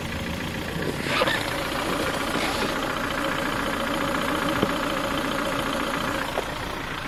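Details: Ford Focus 3 1.6 125 hp at warm idle: faint, light, uneven tapping over engine hum from a worn piston pin due to poor-quality parts; knock is louder when cold and can appear within 10,000 km.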